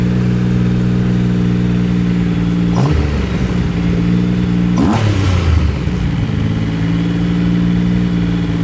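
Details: Triumph Rocket III motorcycle idling steadily, then stumbling and surging twice before settling; erratic idle cured by a new throttle position sensor and recalibration with TuneBoy.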